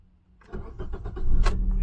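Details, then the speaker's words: Maruti Suzuki Ertiga with CNG, customer complaint crank-no-start with key/immobilizer light blinking; with second working key, short crank then catches cleanly into steady idle and revs; normal start, original key faulty. "Car हमारी हो गई start. Car start है। Race भी हो रही है।"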